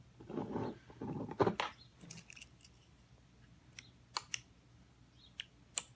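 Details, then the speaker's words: Keyless entry remote (Parallax key fob) driving a 4-channel opto-isolated relay board for a DiamondBack trike, bench-powered: handling noise, then crisp separate clicks as all 4 relays pull in on each remote press; normal relay operation. "So here's the remote. All 4 relays, you can hear them click."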